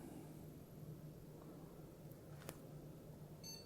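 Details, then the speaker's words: PC with two 4 GB DDR3 RAM sticks powered on during RAM troubleshooting: low fan hum, then one short high POST beep; display comes up on an old monitor and it boots into Windows, a normal single POST beep. "beep check the monitor sorry about the fitness or quite pale display because an old monitor and it's booting into Windows so we're fine we heard the one beep so that's not a problem"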